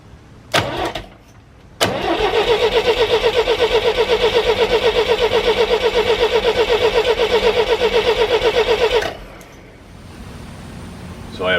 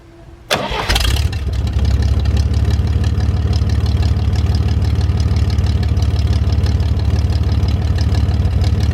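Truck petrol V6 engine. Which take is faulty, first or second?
first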